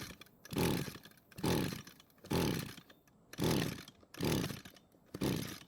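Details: Echo string trimmer that wasn't starting, ignition wire refitted and spark plug wet with fuel, engine possibly flooded; six rasping pull-start strokes about one a second, no firing or catch, cranks but won't start.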